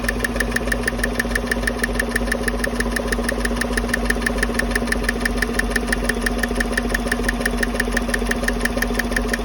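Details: 2015 Chevy Silverado 5.3 V8 idling with the coil packs and passenger-side rocker cover off: a crisp, even tick about three per second. Traced to the cylinder 4/6 cylinder-deactivation lifter/rocker; the owner suspects bad roller rocker needle bearings or lifter oiling, unconfirmed.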